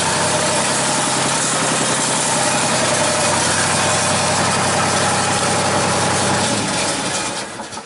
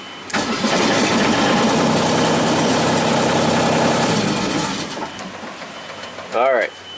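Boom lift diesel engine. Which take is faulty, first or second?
second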